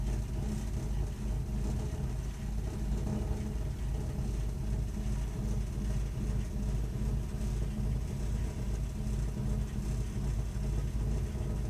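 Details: Burnham Alpine ALP150W gas-fired boiler, 3 years old, frequently rumbles when running: continuous deep uneven rumble with slight pulsing, nothing sharp on top, while firing; cause unclear.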